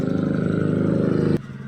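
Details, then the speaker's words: Honda Click 125 scooter that would not start, with the front lights flickering on cranking. It is now running. A quick, even putter at idle with no misses or knocks until shut off. Normal idle. "Ayan, umaandar na yung motor."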